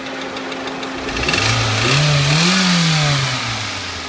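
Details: Toyota 1SZ-FE contract engine from Japan, 32,000 km, knocking after 1,200 km once installed; bearings, valve clearances and sump fine: hollow knock over revs as a piston skirt slaps the cylinder from a seized piston pin.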